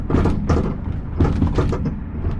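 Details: 2000 Toyota Sienna with high mileage, driving over speed bumps: heavy, loose steel-like clunks from the rear, a couple per bump; worn rear shock upper mount bushing.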